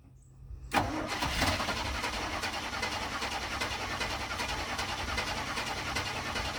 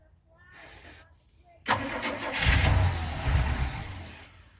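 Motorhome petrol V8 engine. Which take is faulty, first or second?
second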